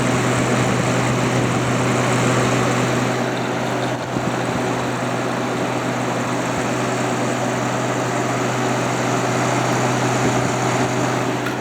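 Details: Haier ESA410J-RGB 10,000 BTU window AC, condenser-side airflow test at the rear: strong steady rush of air over an even low hum, no rattle, scrape or wobble, fan about 1450 RPM; condenser fan healthy.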